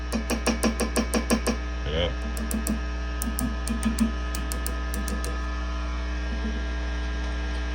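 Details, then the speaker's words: Mesa/Boogie Mark V tube amp in for fizz and lost definition: tapping the preamp tubes gives a sharp ringing clunk about twice a second over steady mains hum. Four preamp tubes (V1, 2, 5, 6) are microphonic; dirty sockets also suspected. "whoa so one two you have like four micronic preamp tubes here buddy so just keep that in mind"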